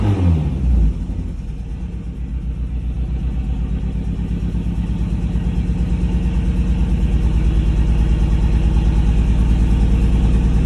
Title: Misfire on cyl 3 due to shit plugs that came with new engine. #project #jdm #automotive #automotive